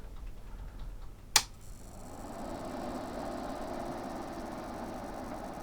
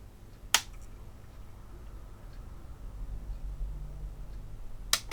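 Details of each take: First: Behringer Europower PMX1000 mixer, powered on after replacing a shorted diode and blown resistor: sharp switch click, then a soft, even fan whoosh holding steady without rubbing; fan runs normally, with a slight buzz possibly from loose coils. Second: Behringer Europower PMX1000 mixer with a repaired shorted diode and blown resistor, power flicked on: sharp click, a few seconds of faint fan hum, then another click as it cuts out; the unit powers on then shuts itself down, cause unknown.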